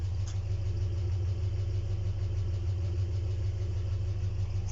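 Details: ZMZ 402 engine, not rebuilt since 2020 apart from cylinder head removal and inspection; valves adjusted, no misfire, pressure holds. Even idle with a light metallic ticking knock about three per second over low rumble; source unknown, owner asks where it comes from.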